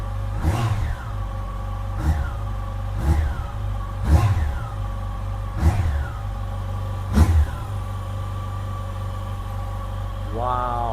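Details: 2007 Yamaha FJR motorcycle, replacement engine on first start after the original died: even idle with about six clean throttle blips rising and falling smoothly, no knocking or rattling; sounds healthy, a little smoke noted afterward.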